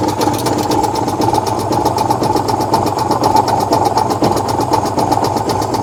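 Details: 1966 VW Type 3 Fastback air-cooled flat-four just fitted with new dual single-port 34 carbs replacing factory carbs: buzzy idle holding a fast, even pulse, no stumbles or misfires; normal idle.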